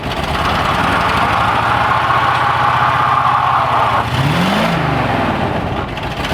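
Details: 1965 Chevrolet C10 old engine under load during an attempted burnout, rough and lumpy with an uneven beat and flat stumbling exhaust; owner suspects it is down on a few cylinders from spark-related issues.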